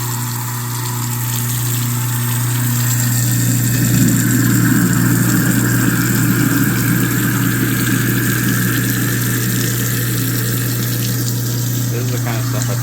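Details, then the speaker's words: Kitchen garbage disposal that had been jammed and tripped its breaker, now cleared and bumped on and off with water running: steady low motor hum with water rushing through, even and constant, no grinding or stalling. It runs free. "So what I like to do is bump it. That way, if there is still something hard in there, I'm not going to jam it up to where it's hard to get like that was. I'm just going to go on and off with it."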